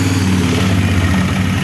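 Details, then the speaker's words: Used CF Moto X8 ATV, which had made bad sounds at its first start: now a steady even low idle with no knocks, ticks or metal grinding; normal idle. "our engine runs like a clock, no extraneous sounds, no grinding of metal"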